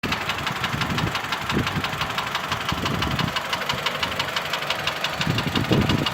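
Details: Mitsubishi Lancer X 2.0 (4B11) knocks constantly at idle, cold and hot: a sharp, uneven tick about three per second. The ringing knock disappears with the air conditioning on, returns when it is off, and partly fades at higher rpm. Cause unknown.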